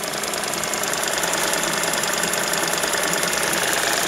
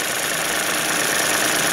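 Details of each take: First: 2006 Suzuki DF50 outboard with 297 hours, cold weather, idling with a light steady tick about twice a second from the idle air control valve, a constant companion on these motors. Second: Suzuki DF50 2006 outboard with 297 hours, slightly warmed on a cold day: steady, even idle with smooth airy whir and no knocks or misses; runs normally, though an idle valve tapping was noted earlier.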